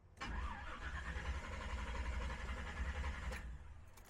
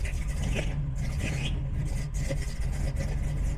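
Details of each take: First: Engine just fitted with Aces Killshot Fusion fuel injection, first start attempt: long steady crank about four turns a second for three seconds with no firing, then a second crank; fuel not yet primed up to the throttle body. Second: Big-cam engine just fitted with Aces Killshot Fusion fuel injection, just after first start: deep, uneven loping idle with choppy low rumble; the big meaty cam makes it run like that, normal.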